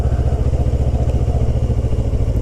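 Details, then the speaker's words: 2008 Kawasaki ER6f (Ninja 650) parallel twin around 2000 rpm: a faint buzzy fairing rattle rides along the firing beats, after Sugru was applied where fairing parts touch. The buzz is reduced and changed but not fully gone. "it's definitely changed the characteristics of the buzz as well as definitely less of a buzz less of the time so that has definitely fixed the most part of it it's wearing 2000rpm that seemed to make that bit rattle"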